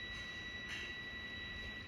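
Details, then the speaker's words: Steady unbroken high beep from a multimeter continuity test on a laptop motherboard line (DA0P5HMB8J0, HP on/off problem) near the Realtek IC, which should stay silent; it indicates a short to ground, so the IC will be replaced. "देखिए, ये beep जो होता है वो मिलना नहीं चाहिए था। बीप मिल रहा है तो प्रॉब्लम है,"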